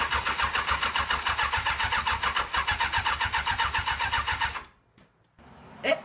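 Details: Honda CBR1000F Hurricane engine fitted in a Roketa GK13 buggy: starter cranks evenly at about 3.5 beats a second for four seconds, then silence; it turns over but never catches. Owner suspects a safety-circuit problem rather than the coils.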